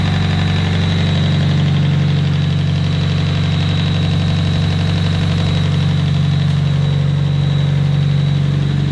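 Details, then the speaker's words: Nissan S15 engine, cold idle just after lifter replacement: steady idle thrum with a thin high whistle; owner unsure of source, suspects intake manifold or a pulley; goes away once warmed up; odd noise at cold idle. "there's still that weird squirrely noise i don't know where it's coming from but when the engine's warmed up it goes"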